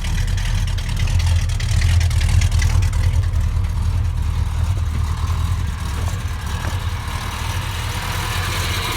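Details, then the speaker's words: 1969 Plymouth Road Runner 440 with 727 transmission, rebuilt carburetor and new exhaust, started on arrival: deep, steady V8 burble at idle with an even beat and no knocks or misses; a smooth, healthy idle. "A nice smooth idle."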